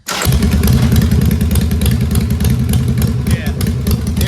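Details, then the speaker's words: Engine running after a carburetor swap; even, strong lope holding steady, with only a loose tinny rattle from tools on top; it no longer falls on its face, and the engine sounds healthy. "Sounds like it's falling apart, but it's not. It's all these tools rattling on this. Gosh, that's It sounds healthy now."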